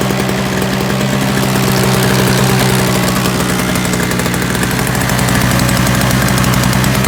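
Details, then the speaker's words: Free roadside Toro single-stage snowblower with a missing primer bulb and Seafoam added: a steady, fast two-stroke buzz with even firing and no stumbling or surging, running smoothly. "alright so you got a couple of things going on could be quite possible thought it could have warmed up a little bit and it started running okay"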